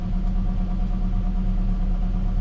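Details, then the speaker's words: Gen 7 Toyota Celica after replacing the fuel pump, filter, pressure regulator and sock: smooth, steady low idle, no stumbles, surges or misses, best idle in a while; owner thinks it is relearning fuel trims. Normal idle. "It's idling. This is the best idle I've had in a while."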